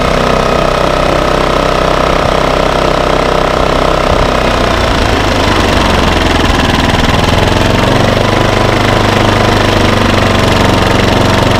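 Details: Baliy 3700W portable generator after a carburetor cleaning, a new spark plug and rotating the econo servo back: loud, fast, steady engine chatter at an even speed with no surging or hunting, running normally.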